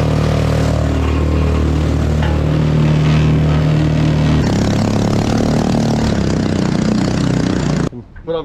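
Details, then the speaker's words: Homemade jet boat unit driven by a 212cc 6.5hp Honda-clone four-stroke in a river: loud, low, slow-beating note that never climbs, engine labouring hard under load; cause unconfirmed. "sounds like it's struggling well guys real loud and real slow so i don't know i need to change"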